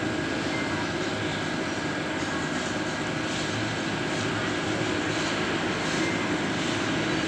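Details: Generator set with G390 engine after repairing surging, unstable throttle: steady, even drone with no rise and fall in speed, governor holding it smooth; normal running after repair.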